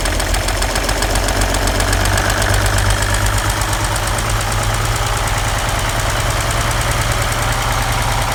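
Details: 1940 Chevrolet 216 engine at idle with oil pressure about 5 and needing a rebuild; heavy regular knocking, about four raps a second, from bad bearings.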